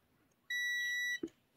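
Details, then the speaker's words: AstroAI M4KOR autoranging multimeter in continuity mode, probes on both ends of a motor's cable/winding: a clean, steady high beep under a second, then a probe click; continuity good, no broken wire inside the coil. "vamos a poner aquí y en otro extremo para ver si aquí no hay ninguna rotura hace ese ruido y se ilumina la luz"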